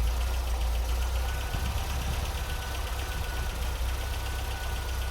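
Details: MGB GT after adjusting ignition timing to 10 degrees static, about 32–34 advance at 3000 rpm, and checking mixture on both carburetors to cure a splutter: deep steady idle, even low beat, no misses or hunting; normal idle.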